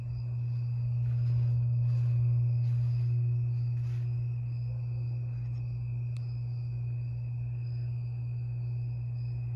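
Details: 52-inch Harbor Breeze Lakeside II ceiling fan, polished brass, before restoration, running on low, its only working speed: the bad capacitor is cracked and slightly melted. Loud steady low hum under a light airy whoosh; capacitor to be replaced.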